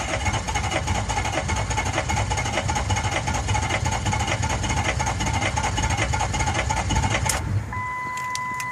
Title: 6.0 no start